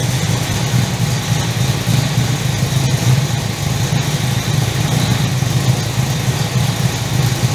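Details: 355 stroker V8 in HX One Tonner, first start after 11-12 years stored since dyno run, fresh BP 98 fuel, in neutral with wheels jacked up, lavalier mic: started easily into deep, steady idle rumble with even beat, no knocks or misses: normal idle.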